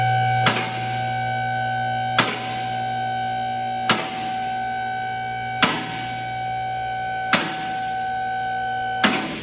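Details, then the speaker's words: Two-post vehicle lift raising a car: steady pump hum with a sharp metal clack about every 1.7 seconds as the lift automatically engages its safety catches on the way up; normal lift operation. "So all we got to do is hit that raise button there. And you can hear it's automatically going on those safety catches. So we're gonna go all the way up."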